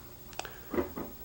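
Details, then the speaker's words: Marco CP 690E eye-chart projector after re-soldering a replacement C4 capacitor, answering acuity-slide presses on the remote: a light double tick followed by two soft clunks in a quiet room. Normal slide change. "and those are the usual sounds and then it uh projects in response to each of the"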